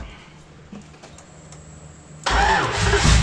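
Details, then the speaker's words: Freshly built engine at first start-up attempt: quiet at first, then the starter churns the engine over steadily with no catch or firing. It cranks but won't start and needs fuel. "Needs fuel. Okay."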